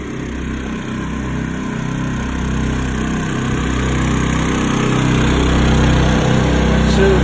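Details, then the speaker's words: Two newly revived Honda E2000i generators linked with a parallel kit, each rated 2000 W peak and 1600 W running: steady, even hum that climbs and firms as a battery charger on high loads them to max; running healthy under full load. "there you go you can hear the generators ramped up now we're gonna turn on our battery charger that's set on high that will ramp those generators up to max"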